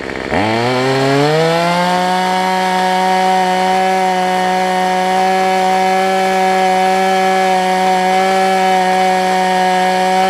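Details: Cheap two-stroke weedeater number 2 on a new $6 replacement carb, being tuned: catches and climbs to a high, steady buzzing idle that holds evenly, after heavy smoke earlier.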